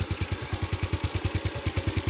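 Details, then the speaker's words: Honda Wave 110i motorcycle after an engine rebuild, idling evenly at about nine steady thumps a second; starts easily and runs quietly, with no knocks or rattles. "เสียงเงียบสตาร์ทง่ายครับไม่มีเสียงดังรบกวนรำคาญไม่มีนะครับ"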